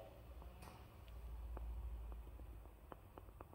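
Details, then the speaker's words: Citroën C4 phase 1 after failed roadworthiness inspection, front right axle, wheel rocked: irregular light knocks and clunks from play in the tie rod end and inner tie rod; worn, both to be replaced. "Et on va donc remplacer la rotule de direction et la biellette de direction. Simplement, l'ensemble, voilà. Puisqu'on a des jeux dessus, jeux de fonctionnement, ce qui détermine un danger potentiel, d'où la contre-visite, contrôle technique, simplement."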